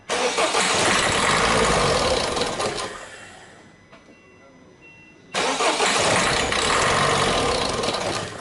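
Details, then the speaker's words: Peugeot 3008/308 diesel whose engine note changed to knocking on the motorway, before injector removal: engine starts and settles into a sharp, fast metallic clatter of about two or three a second over the idle; injector knock. "صاحبها يمشي في الطريق السريع في الاوتوروت، حصل له مشكل، الموتور تغير صوته وفما تقربيع، فما صوت غير عادي."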